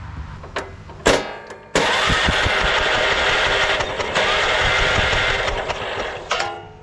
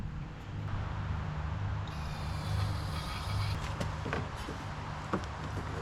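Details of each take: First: Late-1990s Honda Harmony 1011 ride-on mower cranked by bridging the solenoid: starter spins engine steadily about four seconds but never fires; no spark found, suspected burnt key switch or bad coil. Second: Late-90s Honda Harmony 1011 riding mower engine after restoring good spark with original key switch: catches and keeps running at a steady low hum, handling clatter nearby; starts and runs normally.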